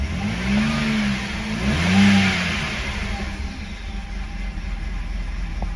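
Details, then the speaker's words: 2011 BMW 328i xDrive just after engine replacement, first run with spray on the exhaust manifold: idle swells and sags unevenly as if about to stall, rpm otherwise okay; rough surging idle, cause unconfirmed. "uh sounds like it's getting worse like it's trying to die rpm is okay [Music] it's kind of surging running a little bit rough"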